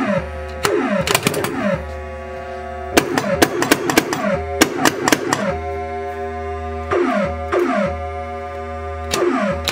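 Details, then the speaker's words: 1980 Williams Scorpion pinball with a new replacement sound board fitted: clean synth tones, sweeps and thumps with no crackle or hiss. Normal sound output. "we got the soundboard in and it's sounding really good"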